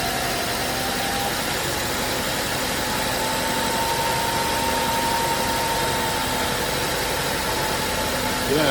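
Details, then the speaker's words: 2012 BMW 750Li idling after turbo coolant lines were replaced and fluids drained and refilled: steady, even idle with smooth drone and faint constant tone, no knocks or odd turbo noises; engine running healthy. "drained my fluids replaced him with new fluids and she's purring like a kitten"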